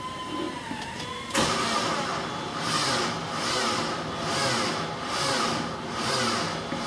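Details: 2002 Mini Cooper 1.6 with new starter and battery: slow labouring cranks in heavy surges about once a second without starting; engine couldn't be turned by hand, caused by a seized alternator.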